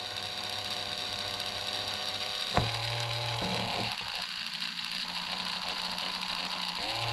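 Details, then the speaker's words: Marui Big Bear R/C monster truck differential hand-tested during assembly, holding one side then the other to work in grease: smooth whirring, pitch stepping, no grinding or skipping; diff works normally. "test if we hold one side our diff should work there we go hold the other side get all that grease worked in there"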